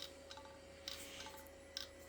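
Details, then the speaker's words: 10 GB hard drive in an IBM/Cyrix Socket 7 Windows 98 PC: sharp, irregular head clicks over a faint whir. The drive is dead, and a table-whack attempt did not help. "so yeah that is a um dead Drive well half dead"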